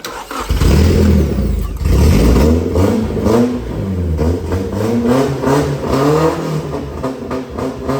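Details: Nissan 240SX S13 with S15 SR20DE swap, first start: catches on the first crank and revs loud, beat stumbling and uneven instead of settling; running rough, cause not yet found.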